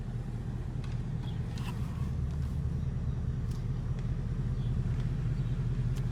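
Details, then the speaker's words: 2017 Ford Mustang GT (S550) after replacing the left rear half-shaft thrust washer behind the hub bearing: steady low road rumble, no clunk as drive takes up after reverse; rear driveline now quiet, no clunk. "see right there sometimes when I put it in reverse it would make that clunking noise did not do it this time"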